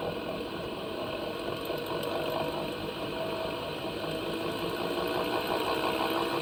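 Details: 2025 Panasonic NA-SD series washing machine: busy uneven mechanical clattering rattle about three beats per second over motor run; abnormal noise, cause unclear.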